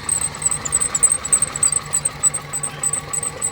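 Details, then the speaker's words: Toyota engine from a cheap budget car idling lumpy with irregular low thumps, a misfire only at idle that runs smooth when revved, plus a squeaking auxiliary belt; owner suspects spark plugs, unconfirmed. "yeah she's got a Mis fire Runner uh only seems to be on idle which is quite strange you know you get the rivers up and it seems to run as smooth as silk"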